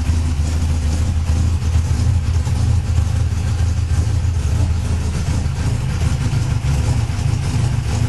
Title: first start after fixing the cam degree, 08/01/15